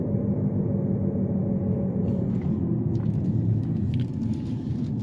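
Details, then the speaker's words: Test drive in a FWD Jeep Patriot: a steady low drone under road noise from a worn rear left wheel bearing, no play in it, just noise; previously misdiagnosed as rear drum brakes. "guys it took me less than three minutes to find out that this thing has a bad wheel bearing"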